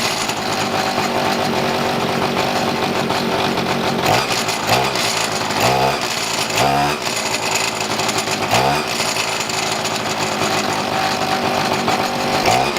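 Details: Pocket bike two-stroke after carb fuel-mixture and idle screw tuning: high, buzzy note holds a steady idle, and quick throttle blips rise and settle cleanly; running about right.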